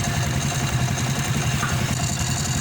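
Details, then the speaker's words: 100/110cc motorcycle engine idling, odd noise from right side heard mid-ride: busy whirring rattle like tensioner and propeller, sometimes knocking; secondary gear clutch to be replaced. "Yan, ganito ang tunog niya. Nagalo-halo na yung tunog niya. Tensioner tsaka yung parang propeller yung tunog."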